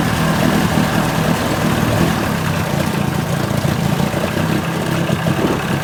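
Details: 1980 Chrysler 45 hp outboard, started using the warm-up lever at fast idle after a crank-no-start complaint: a steady, even buzzing idle with no misses, knocks or surging; it runs smoothly and sounds healthy.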